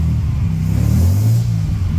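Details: Restored 1938 SS Jaguar 3½ Litre drophead straight-six, choke in use: deep, even rumble swells smoothly on a light rev with no knocks or misses, engine runs healthy.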